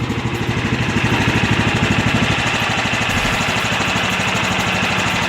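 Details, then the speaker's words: John Deere GT225 with a rebuilt Kohler Command CV15S (after seized lifters and a burned exhaust valve), newly tuned up and fresh synthetic 10W-30: steady, even thump at constant speed, no ticking or lifter tapping; running smooth. "that was a lot of work but it sounds really good now [Music] alright so the oil has changed and seems to be running pretty smooth"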